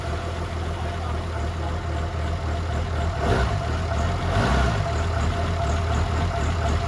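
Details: 2007 6.7 diesel swap (1400 hp build, compound turbos) first fire: low, uneven loping idle with surging; blamed on old 12 mm dual-pump, small-injector tuning and 10.5 V battery with alternator unhooked; downpipe only.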